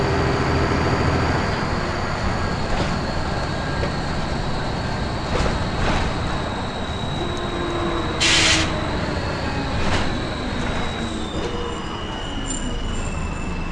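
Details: First Manchester Volvo B10BLE diesel bus 61241 (R339GHS), recorded 9 October 2010. A thin, steady, strange high-pitched whistle holds its pitch above the diesel rumble and road noise; source of the squeal unknown.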